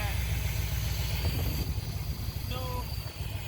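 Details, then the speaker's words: 1976 Chevrolet Corvette C3 V8 idling after a carburetor rebuild and cleaning: deep, steady burble with an even lope, no knocks or misses; idles smoothly and runs well. "After a carb rebuild and a little bit of cleaning all around. Looks good, sounds good, nice and clean, running really well."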